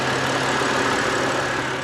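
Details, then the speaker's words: BMW E92 325i with N52 engine and manual gearbox at idle: dry, gravelly rumble with faint whirr, first suspected to be a dry belt tensioner, judged a failed idler pulley bearing; belt and tensioner replaced. "our problem gentlemen i think the the bearing's just gone in the either pulley so that's good"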